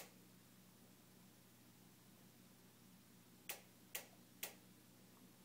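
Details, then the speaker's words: Newly purchased Jenn-Air stove randomly ticks nonstop, sharp dry igniter clicks about twice a second over quiet room hum, continuing even after being turned off; repairmen came repeatedly but couldn't fix it, cause unknown. "this is the sound of my jenn-air stove newly purchased which randomly makes a ticking noise we've had a repairman here three times and they can't fix it"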